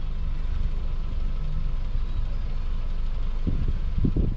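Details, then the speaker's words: 2009 Subaru Outback with new stainless cat-back exhaust, engine about one quarter warm, idle dropping; low even exhaust burble, getting quieter, no leaks; normal warm-up idle. "the engine has reached about one quarter of the normal temperature and you can hear the sound level now"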